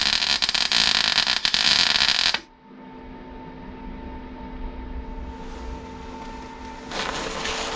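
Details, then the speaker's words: MIG welding a tacked patch on Rover P6 inner wing repair: loud sharp uneven crackling and spitting; spattery weld, welder unsure if too much or not enough wire, later concludes not enough. "Right, it was making spitty spatties. What does spitty spatties mean?"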